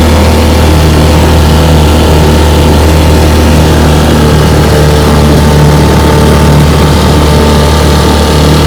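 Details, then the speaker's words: 1950 Johnson JW14 3 hp outboard, restoration, warm start: a loud, steady two-stroke buzz holds an even pace with no stumbling or knocking, running cleanly and healthy. "she's a 1950 three horsepower johnson jw14 got it right here amongst the beautiful cypress trees we'll give her a test run it's going to be a warm start"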